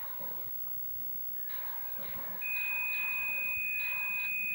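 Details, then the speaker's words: Mach 3 arcade game with Dexter laserdisc replacement board in attract mode: a steady high-pitched tone comes in over the game audio. The target data signal meant for the targets is audible, so the audio cables are reversed. "so if you start hearing this tone and then uh you know you've got your audio cables reversed"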